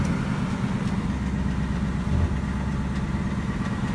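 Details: 2019 Ford Mustang GT 5.0 Coyote direct-injection V8 (S550 Gen 3) at idle: steady even idle with faint light BBQ/typewriter ticking; dealer compared with brand new car making the same noise, normal injector ticking.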